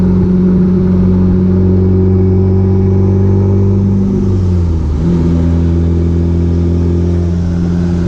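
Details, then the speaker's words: B3000 with completed Cummins turbo diesel swap, driving: deep steady diesel drone, pitch easing then settling after a shift, no knocks or rattles; running good and loud. "there you have it it's running good and it's loud yeah sounds good guys"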